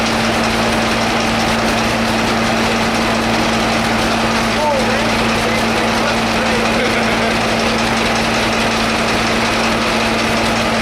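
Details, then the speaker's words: Two-cylinder engine started with starting fluid in blizzard cold: a heavy pounding knock repeats with every slow beat at idle, like hammers on the block, though it idles well; connecting rod knock. "As you can hear, that thing sounds like the hammers of hell beating on the side of the engine block."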